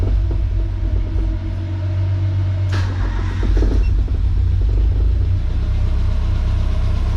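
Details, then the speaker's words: Nissan 240SX with CA18DET, first start after fitting the head, no coolant lines or intercooler piping connected: lopes unevenly with stumbling beats and a loud top end, sounding like a misfire. Owner worries about bent valves; cause unconfirmed. "so let's see if this thing's gonna start oh it ran sounds kind of bad"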